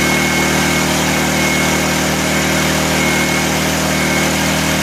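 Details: 1984 Honda EM600 generator on a cold start: steady but high, strained hum with no dip or hunting, running too fast. Engine overspeed; the adjuster knob did little, and a throttle issue is suspected.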